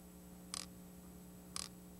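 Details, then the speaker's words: Audi 5000 output test with fuse pulled: idle stabilizer valve gives two crisp single clicks about a second apart; normal idle stabilizer valve clicking. "now we're gonna go says here to the idle stabilizer valve right we should hear it click and we should also see the code displayed close four four three"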